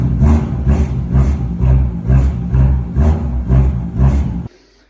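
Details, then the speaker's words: BMW M2 F87 with M Performance exhaust at cold start: deep, rough exhaust roar pulsing about twice a second with a loose rattle from the failed rear muffler (Endschalldämpfer); the muffler was removed for repair. "BMW M2F87 und zwar klappert die Kutsche im Kaltstart brutal. Also wirklich der Klang vom Auspuff ist alles andere als geil."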